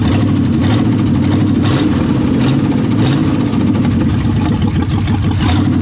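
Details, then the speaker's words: 1973 Mercury Comet GT 302 V8 with 3-speed, revived after 35 years, fresh diesel oil: light ticking valve chatter over the rumble because rocker adjuster nuts are backing off and loose; owner plans lock nuts. "they've got a little chatter"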